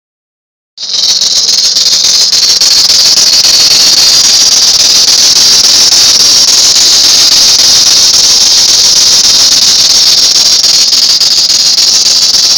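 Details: 1999 Town & Country van: piercing constant squeal with a fast chirp three or four times a second from the belt drive. Belt replaced about four times; water pump, alternator, idler and tensioner pulleys replaced; AC compressor quiet. Source still unidentified.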